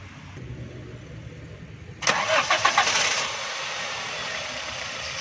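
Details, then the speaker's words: 2008 Toyota Corolla after repairing a broken crank sensor wire (it had no current to the plugs and would not start): short crank, then it catches at once and settles into a steady, smooth idle; normal start. "दोस्तों, इसमें अभी गाड़ी भी स्टार्ट हो गई है। अभी हमने तार को रिपेयरिंग किया है, तो गाड़ी भी बिल्कुल सही हो गई है और इसका करंट भी ऑन हो गया है।"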